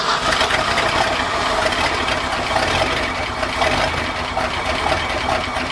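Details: 1966 vehicle with old engine that still burns some oil, first start on a freshly cleaned tank, cleaned steel lines, new soft lines, fuel pump and filter, selector bypassed, in icy weather: catches and settles into steady even idle, no misses; normal idle.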